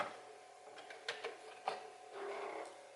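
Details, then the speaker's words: Known-good replacement Commodore 1541 disk drive on a Commodore 64 loading a program: soft whirr with scattered light head clicks and a short buzzy seek, how a working 1541 should sound; normal floppy drive loading. "this is how it how it's supposed to sound on a working 1541 drive"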